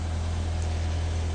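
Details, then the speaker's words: 2016–2018 US-market Ford Fusion started via newly installed remote start (three presses of lock button on key fob); smooth, even low idle drone, steady with no misses or knocks. "После 3-го нажатия автомобиль должен завестись. Как видите, или как слышите, автомобиль завелся."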